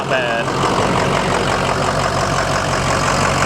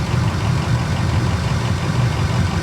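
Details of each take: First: Rough-condition diesel RAM truck at a dealer auction with exhaust dumped under the bed and a little blow-by: diesel idles steady but with a coarse, lumpy clatter, though it is said to run fine and sound healthy. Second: Rough-condition diesel truck at a dealer auction, low on fuel, just started: steady low diesel idle with even clatter and no misses or odd knocks; it runs fine.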